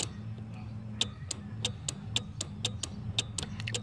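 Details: VW Gol G2 AP fuel-injected, key on, fuel pump relay wiggled: sharp irregular clicks about every third of a second as relay and pump cut in and out over faint pump hum; cold solder joints in relay, connector clean.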